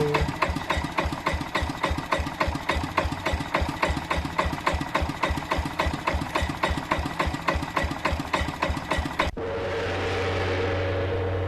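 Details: Old Yanmar stationary diesel engine, unrun for about five years, at low speed: sharp, regular metallic knock about three to four times a second.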